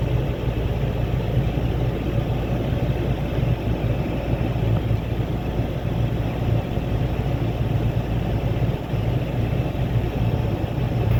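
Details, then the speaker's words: 2007 Ford F250 cargo van after alternator replacement: smooth steady low idle drone, no squeal, whine or knock; engine keeps running, new alternator charging normally. "see if alterator keeps running Moment of Truth here we go stayed running is obviously the alternator job well done"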